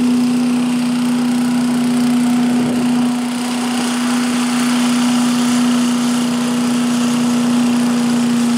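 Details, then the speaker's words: 1985 Billy Goat leaf blower with Briggs & Stratton 8HP single-cylinder engine, after new spark plug, oil change, air filter and replacement fuel tank: even, steady drone at constant speed, no misses, surging or knocks; started easily, running healthy. "now started pretty easily and uh blows the leaves around pretty good so I could just make my way right on out to the curb and uh Happy real happy"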